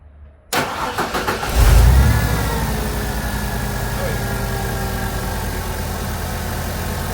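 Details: 1999 Ford Econoline 4.9L inline-6 that stalled at idle, with MAP sensor reading within spec and vacuum line connected: short crank, catches cleanly, settles into smooth steady idle with no hunting; normal idle.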